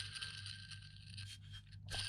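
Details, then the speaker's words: Subaru Legacy 3.0 idler pulley removed during timing chain replacement: rough, dry rasping scrape of a badly worn bearing. "can you hear it that's the sound of a bad bearing not completely shot this is this is even worse this is the one that feels not this was the idler"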